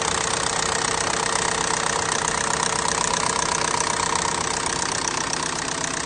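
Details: Engine built for a big turbo FSI setup, at idle: a regular light knock, roughly three a second, rides over the engine. It has sounded wrong since day one; cause not yet found.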